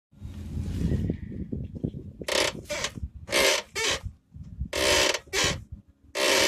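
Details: Mercedes-Benz W203 front end rocked by hand; harsh rubbing squeaks in pairs about every half second; worn front sway bar bushings suspected, not confirmed.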